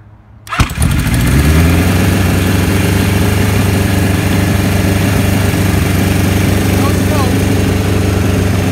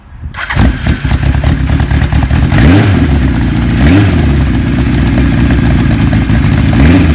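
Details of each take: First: 1975 Kawasaki Z1 900 four, 23,000 miles, first run after rebuild with carbs done: catches at once and settles into a fast even idle that stays high; carbs need adjusting down, charging system also not working. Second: 1975 Kawasaki Z1 900 four, 23,000 miles, cold start on choke with button starter: catches within half a second, then strong even four-cylinder burble with steady revs; healthy cold start.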